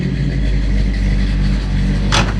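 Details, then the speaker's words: Roadkill "Rampage" with a 454 big-block V8: a deep, full rumble that stays even and strong with no knocks or misses; sounds better than an old motorhome, healthy big block running normally. "It sounds better than my dad's old motorhome."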